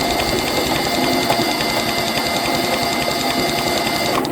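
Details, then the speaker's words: Kubota B6100 4x4 HST three-cylinder diesel that ran out of fuel, cranked with the decompression lever held and injector lines loosened to bleed: fast, even whirring crank with light ticking and no firing. Air in the injection pump. "Alright, with that, when you run out, your injection pump sucks air. So now your injection pump is full of air. You cannot pump fuel until you get the air out of there."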